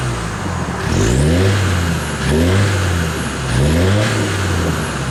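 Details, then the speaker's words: Land Rover Discovery diesel with a straight-through exhaust fitted, which makes it sound different. Deep note blipped up and back down three times, loud and open; the engine pulls cleanly with no knocks, normal running. "yes what I do even might notice that this is sounding a little bit different to what it was before"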